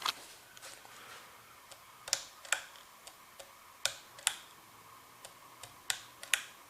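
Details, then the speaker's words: 36-inch plastic Lasko ceiling fan, newly installed in garage, running on medium speed after quiet low speed in reverse: sharp irregular clicks every half to one and a half seconds over a quiet fan, owner attributes noise to the fan wobbling. "medium that noise is coming from the wobbles got a whole wobble in it yeah okay"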